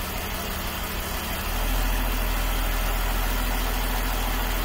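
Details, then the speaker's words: BMW E39 530i Touring daily driver after fixing a cylinder misfire (fault P1343, fuel cut to cylinder) traced to a faulty ignition coil by swapping coils: steady, even idle with a low smooth hum and no stumble, all cylinders firing cleanly again. "after deleting all the faults we have a smooth running engine back again"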